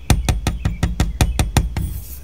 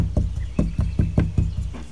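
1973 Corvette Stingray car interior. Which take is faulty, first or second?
first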